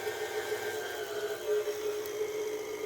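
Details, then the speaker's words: KitchenAid tilt-head/K5SS-style mixer on the stir setting with the speed control plate screws backed out too far. Steady high motor whine as it picks up speed to about speed four. Motor overspeed. "if they're too far out you can hear the motor tune change you can hear it pick up speed and now it's going you know way faster than you wanted to that's like a speed four on stir"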